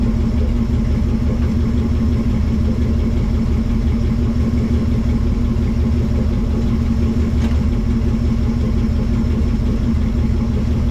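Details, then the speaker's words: Chevy Nomad wagon at first run, transmission just tested in gear and reverse, burning off residual, temperature not yet rising: smooth even low idle, no knocks, ticks or misses; normal idle. "Motor seems to be purring pretty good though. Burning off a bunch of residual."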